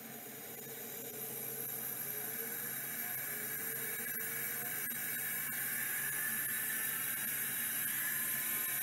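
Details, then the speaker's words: Vintage 3425 hard drive labelled failed 6 of 94: thin whirring spin-up with wavering squeals and faint ticking, never settling into seeking; sounds awful, didn't seek at all and gave an error code. "another really nice looking 3425 with its face plate and everything this one sounds awful and it says failed 6 of 94 so not expecting a miracle here but let's give it a try"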